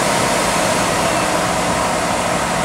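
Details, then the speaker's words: 2006 Impala, both cooling fans commanded on by an OBDII app active test, then fan two alone at middle speed: steady even whoosh at constant pitch, no rattles or scraping; normal fan operation. "i want to turn both fans on at the same time right that makes a racket so and then i'll turn just two on which will shut the smaller one off right so now this will be a third right middle of sound"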